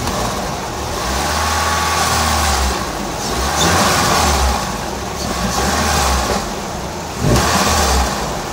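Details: PT Cruiser GT turbo, after head work and fix, valve cover not fully tightened, on jack stands: engine rises and falls cleanly through blips, no clack or miss; healthy, tune still needs adjusting.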